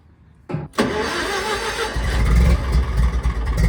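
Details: Old gas-powered Hobart engine-driven welder, fuel pressure apparently present: engine catches after a brief crank, then settles into a steady, even low drone under welding load, no knocks or misses. Runs well.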